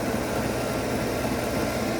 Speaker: You can hear it load up, outputting 30. Reason being is because the DC to DC charger has now kicked on.